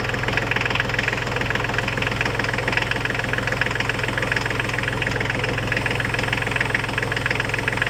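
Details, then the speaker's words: Diesel tractor idling after antifreeze refill and bleeding: steady clatter about three and a half beats a second over a low rumble; worn water pump bearing with fan play, pump to be replaced over winter. "new water pump for this €125 so I'll get that over the winter I you can hear it rumbling uh there is play in that fan"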